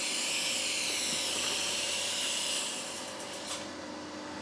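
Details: Firstess (Yeswelder) DP200 in lift TIG mode, 125 amps on 1/8 in plate, manual shield gas valve: smooth, even high hiss with a faint steady buzz and no crackle or sputter; TIG arc burning steady and normal.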